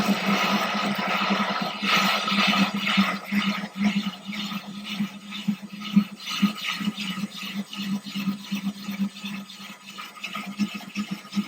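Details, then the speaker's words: Ryobi drill with diamond bit slowly wet-drilling thin glass of a 10-gallon aquarium through a water-filled PVC guide: steady gritty grinding with low hum and faint rhythmic scrape, normal unforced cut. "Going to grab our drill, and we are going to go slow. So slow. Get a nice guide. Keep the drill even. Let the bit do the work."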